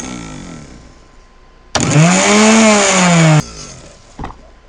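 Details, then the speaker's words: Universal motor speed controller driving a motor over 40 years old with worn bushings: steady high motor whine whose pitch barely drops at the lowest setting, the controller giving no significant speed reduction. "not a significant enough speed reduction"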